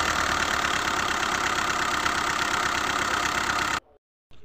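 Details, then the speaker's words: Hyundai i20 engine at idle, noisy even after connecting-rod bearings were replaced elsewhere; tappet cover open, HLAs being checked. Steady rapid deep internal knocking, about four per second, grows sharply with slight throttle; source not yet pinned down, cause unconfirmed. "यह देखिए बहुत ही ज्यादा noise आ रहा है इसके अंदर firing को जो तो बिल्कुल गौर से सुने इस चीज का प्रॉब्लम हो सकता है थोड़ा भी एक्टर अगर आप देंगे तो बहुत न बढ़ जाता है"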